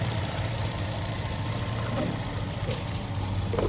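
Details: Hyundai i20 petrol engine after rebuild: it had no compression and would not start, and the cam chain was refitted. Steady, even low idle with no knocking or rattle; sounds smooth and healthy. Normal idle.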